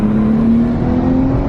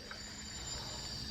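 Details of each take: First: Nissan R32 with a new turbo, first drive after a boost leak test: pulls cleanly with a smooth rising tone and light turbo whir, no flutter or misfire; healthy. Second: Nissan R32 after a new turbo install, boost leak test with a homemade tester: a constant airy hiss over a quiet engine. Blow-off valve thought stuck open and permanently leaking boost; a split vacuum line was also found.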